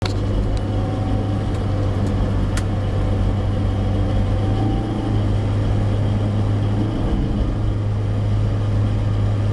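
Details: Second-hand Suzuki APV automatic with 67,000 km at purchase, cruising above 50 kph: a constant low hum under the road noise, steady in pitch. Owner suspects the automatic transmission, not confirmed.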